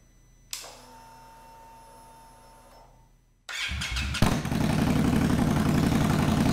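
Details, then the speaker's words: 2021 Indian Scout Bobber Twenty with Vance & Hines Twin Slash slip-on exhaust, baffles removed (straight pipe): quiet, then a sharp start into a very loud, deep, lumpy idle pulsing about four times a second. "loud holy moly okay well now we know"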